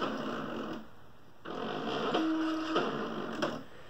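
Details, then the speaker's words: Original Fluidmotion SteppIR 3-element antenna controller, possible lightning damage, after replacing the driven-element stepper motor driver chip: buzzy stepping drone in short runs that start and stop cleanly, even and strong; stepper drive working normally. "since where he will do the director test it one more time yeah sounds good and strong hey so replace the driver chip are good to go"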